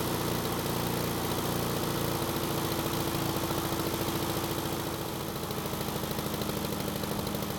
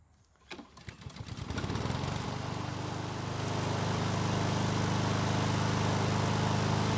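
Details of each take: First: Husqvarna lawn mower small engine on test start after carb reinstalled: runs fine at first, then sputters with an uneven, stumbling beat and slows more as it warms; black smoke, choke suspected, but the throttle plate was stuck. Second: Husqvarna lawn mower small single-cylinder engine after freeing a stuck carburetor throttle plate: a few sputtering catches, then a steady, even run with no misses or hunting; carb works properly, engine runs well (self-propel drive found not working).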